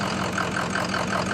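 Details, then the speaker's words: Ford F-350 diesel after replacing injector #3 and refitting the high-oil-pressure rail: an injector cutout test at idle makes one cylinder miss with a lumpy clatter and a 30 rpm drop, then it returns to a smooth idle, confirming that injector was the fault. "and now i should be able to disable this injector and then you can hear it start to miss out and then if you watch the rpms when i kill it"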